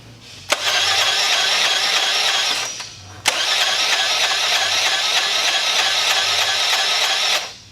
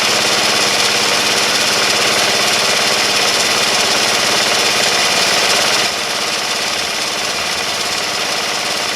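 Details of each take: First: Honda CH80 Elite 80 scooter, over 11,000 miles, consumed oil, smoked and died: two long cranking bursts with light even whir, no strong compression pulses, faint clatter each revolution; low compression from a shattered piston. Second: Honda CH80 Elite 80 scooter after engine rebuild, first start, totally cold engine at 32°F: busy, rattly single-cylinder clatter at steady fast idle dropping slightly near the end; engine running normally.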